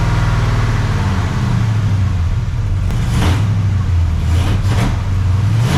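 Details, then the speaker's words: Freshly rebuilt 400ci small-block Chevy V8 (new bearings and rings) in a 5-speed S10, first run, 65 psi oil pressure; deep, even burble pulling smoothly through light revs, no knocks or ticks. Normal running. "sir well that was a big success the 400 runs there's no weird noises"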